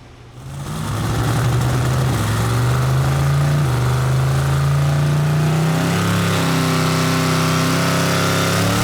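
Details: SML engine on a dyno pull making 22 lb of boost: a strong, steady note climbing smoothly with no obvious miss. It made about 1300 hp versus 1500 earlier, roughly one cylinder's worth (about 193 hp per cylinder); a dead cylinder is suspected.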